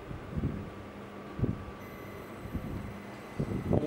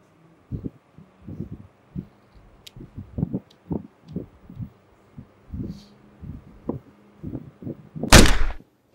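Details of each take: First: Fujitsu inverter multi-split air conditioner outdoor unit (AOBG18-type), previously noisy with a short-circuit sound, after repair: fan motor and compressor running normally with a low fan rumble and a steady inverter whine, and no error code on the indoor unit. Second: Fujitsu inverter multisplit outdoor unit (model ABG18-type) with active filter board failing: irregular dull pops from the condensing unit ending in one loud crack as the board shorts out; electrical short-circuit arcing and blowout.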